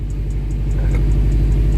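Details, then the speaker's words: 2012 Subaru WRX at 100,000 miles, after clutch work by shop: steady low idle, pedal pressed, only light even tick and no grinding; formerly much louder with heavy clutch, now dead silent; normal clutch release bearing. "if I have some footage of before but it was much much louder but it's dead silent clean"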